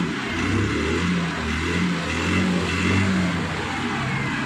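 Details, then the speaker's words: Hero Maestro Edge BS6 scooter, after repair of hard starting and stalling or cutting out on acceleration (low pickup): it now starts on the first self-start after sitting two or three days, idles correctly, and revs smoothly; normal throttle response. "என்ன செய்யுது அப்படின்னு சொன்னா நமக்கு வந்து கரெக்டா வந்து பக்காவா வந்து வந்து பிராண்டில் ரெஸ்பான்ஸ் வந்து பக்காவா இருக்கு"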